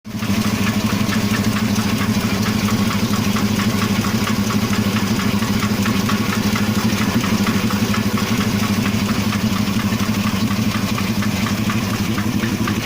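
Steady idle with a light, fairly even tapping riding on top, roughly three per second, a knock from inside the engine. Cause suspected, not confirmed.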